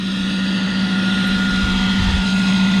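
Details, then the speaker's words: York rooftop unit gas heat, W1 jumped after replacing flame sensor, igniter, ignition control board and carryover tube: loud constant roar with low hum and fixed high whine, combustion blower running louder than it should. "I've got W1 jumped out now let's see what happens there's our loud combustion blower"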